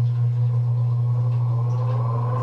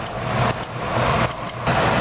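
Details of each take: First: Gas furnace inducer (exhaust) fan motor after replacement and reinstallation: low steady hum with a smooth whir climbing in pitch as the fan spins up, no scraping or rattle; normal inducer fan run. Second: Gas furnace after a blower motor refit: a steady blower rush with sharp clicks at irregular intervals, as the solenoid/relay on the control circuit board that controls the blower motor clicks erratically. The fix is replacing the circuit board.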